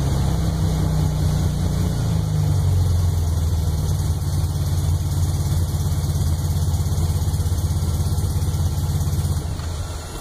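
Freshly built engine idles and blips with an uneven deep thump and sporadic pops through the run, cause not yet pinned down.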